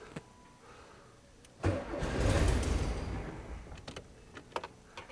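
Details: 1972 VW Super Beetle after rewiring aftermarket gauges and reconnecting the battery: quiet, then a rough churning crank for about a second and a half that fades without catching, not firing; extended cranking without starting.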